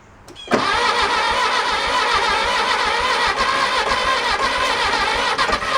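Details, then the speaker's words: 1966 VW Beetle that sat about four years, after cleaning and refitting the distributor rotor: catches quickly, then settles into a ragged, uneven clatter that comes and goes; oil light goes out; suspected binding or hanging valves, valve adjustment planned. "thinking the valves are kind of a little binding a little go ahead I'm not sounding too promising so oil light goes out and it doesn't make the noise all the time it kind of comes and goes we're kind of thinking a valve is hanging up a little bit"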